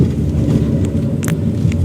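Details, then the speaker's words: 2016 Chery Arrizo 5, 125,000 km, after replacing worn suspension link ball joint that clunked over potholes: only low road rumble and faint ticks over rough ground, no clunks; suspension quiet after repair. "过这种坑坑洼洼的路面它就没有声音了，摇晃也没有声音了，就是那个拉杆不行了，坏了。"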